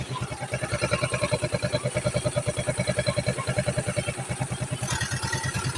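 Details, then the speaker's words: Yamaha Mio scooter, fresh build with 59 6.0 cams, breather covered: soft even putter about three pulses a second, very quiet steady healthy idle; oil pump tested working. "Ayan. Napakatahimik, no? Tinakpan ko yung breather."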